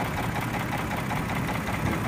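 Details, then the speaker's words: 2007 Hyundai Entourage GLS, 3.8 engine, FWD automatic, a van with a bad motor but still running: rough, uneven idle with loose metallic clatter over the engine note; worn internal, exact cause not identified. "they're good listen to it hear the motor clattering"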